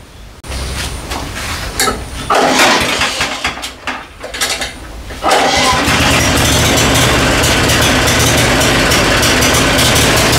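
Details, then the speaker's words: Mulching lawnmower after cleaning and reassembly: a few pulls and sputters, then it catches and settles into a steady, even single-cylinder run. The motor runs properly, though the mulching function is not working. "Seems to be running properly, although it's set up as a mulching mower and it's not working properly, that part of it. But anyway, the motor's running. Yay!"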